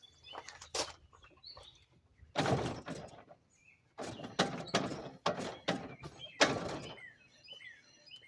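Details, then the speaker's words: Geo Metro jacked up, axles turned by hand: irregular dull clunks in bursts that alternate as an axle spins; owner suspects broken differential, probably a spider gear, unconfirmed. "that sounds like maybe the differential is broken because it alternates when you spin an axle here I'd say we've probably got a broken spider gear"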